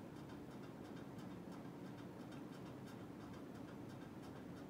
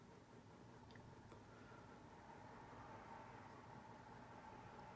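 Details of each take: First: NuTone Hug-The-Ceiling 52-inch hugger ceiling fan with spotlight kit, mounted on a wooden beam, on high speed: a quiet steady hum with rapid light ticking on top; unclear whether it made this noise before the spotlight kit was fitted, origin unknown. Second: NuTone Hug-The-Ceiling 52-inch white hugger ceiling fan with spotlight kit, on low speed: a faint, steady whir with a soft hum and no ticking, rubbing or wobble; normal quiet running, helped by the four-bolt mount.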